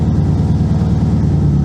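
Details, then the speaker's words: 2002 Subaru WRX with a built 2.6 L stroker (2.5 L block, 2.0 L heads), started after sitting four years. Steady, even idle rumble, and the power steering pump is very quiet with no squeal or moan. "the power steering is so quiet. Oh my god. This is This is awesome."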